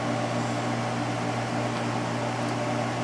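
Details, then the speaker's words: LG 8,000 BTU window air conditioner (2021, LG compressor, Broad Ocean fan motor) restarting and running alongside a 2014 GE 8,100 BTU unit; steady low hum and constant fan whoosh, no rattles or cycling; normal running. "compressor started back up on this one too there so they're both running"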